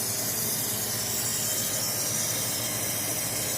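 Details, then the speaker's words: 1989 Mustang 5.0 LX, 260,000+ miles, after new injectors and fuel pressure regulator, engine off with fuel pump running key-on: constant high hiss like fuel spraying; leak suspected but not seen. "oh no I hear a leak what in the world is leaking alright guys well something something something that's not good I should not be hearing a fuel leak right now"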